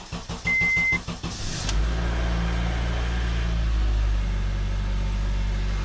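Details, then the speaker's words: Honda CR-V first start after engine reseal, with timing checked and valve lash rechecked before the valve cover went back on: a short beep, brief crank, then a smooth, even idle. The earlier tapping is gone and it sounds quiet. "and listen how quiet it is it's not tapping no more"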